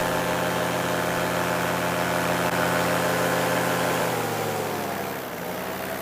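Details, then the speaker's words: Paramotor two-stroke in flight: steady drone over wind, then pitch sags as revs fall and the engine cuts out despite throttle pumping; power loss from exhaust choked by muffler packing, forcing a landing. "So coming up here, right here, you're going to hear the engine start to cut out."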